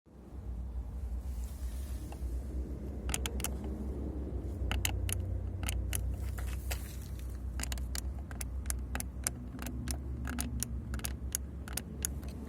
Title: Скрип кнопок стеклоподъёмников на Солярис 2012 по прошествии ≈11 лет эксплуатации.